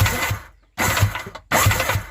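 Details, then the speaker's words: Yamaha WaveRunner XL800 two-stroke engine, out of the craft during removal, battery reconnected: starter cranks in short bursts with a faint rhythmic knock under the churning; rear cylinder sounds sloppy, a loose connecting rod is suspected. "he was saying broke raw do hear something knocking a little bit huh well could be worse i guess we'll see i'll be able to see the connecting rod and see if it's loose it sure sounds like something's a little sloppy in that back cylinder"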